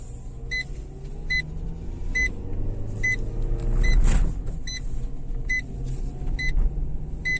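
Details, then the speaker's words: Renault Megane 2 driving after silicone treatment of interior trim to cure squeaks: steady road rumble with an indicator ticking and no creaks from the trim; the loud tailgate squeak is gone, one under the rear seat may remain. "однозначно тот сверчок следы пропал ну потихонечку не все сразу друзья"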